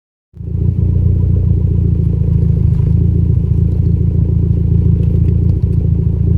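Deep idle rumble with a faint irregular stumble about three times a second, milder now but still an idle misfire.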